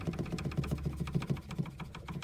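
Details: 2011 Dodge Journey SXT with CNG conversion, idling: quick light rattling taps about eight a second over a low hum, seemingly behind the dashboard; actually two coolant hoses knocking together in the engine bay.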